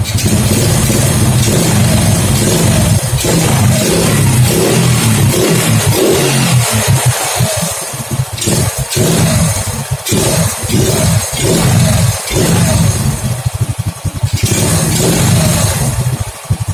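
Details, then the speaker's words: Honda Grand single-cylinder with standard carburetor, after a new pulser (previously would not start), running the old CDI: unevenly stutters and hesitates with dropouts when revved. "Suaranya seperti ini ya, agak telat. Ini tadinya sebelum ganti pulser nggak mau hidup, susah banget hidupnya. Setelah saya ganti, ternyata telat seperti ini."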